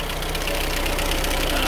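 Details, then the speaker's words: 1997 Chevy S10, noise like a diesel that worsens as it warms: fast metallic rattle over idle following engine speed; isolated with screwdriver to the timing chain tensioner, timing chain replaced. "all right guys as you guys saw our problem is the the chain tensioner the one that is making all our noise"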